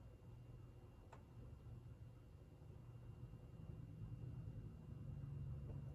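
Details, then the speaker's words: 52-inch GE AirCool ceiling fan, antique brass, original five-light kit, motor thought to be cast iron, on low speed: quiet steady hum with no rubbing, ticking or grinding; runs very well, bearings silent, normal. "runs very well the bearings are silent it's got a pretty decent sized motor inside"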